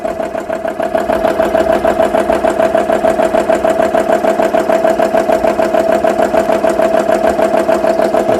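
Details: Repaired GX CS3 compressor filling toward about 3,200 PSI against the dead head set at 4500 PSI: steady, even chugging at roughly three strokes a second over a constant mid-pitched hum; running smoothly.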